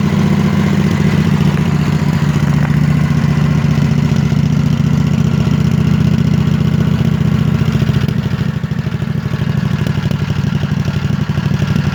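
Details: Scag V-Ride mower engine idling with an uneven clattering beat and occasional pops, a rough misfire-like idle, though it sounds fine at wide-open throttle; fuel filter not full while running, owner unsure if related.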